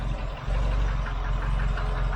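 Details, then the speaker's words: Mk3 Ford Cortina at idle: steady idle with a faint regular knocking over the low rumble; light knock, cause not confirmed, while checking vacuum and a rattling valve. "a vac build up. You hear that knocking as well."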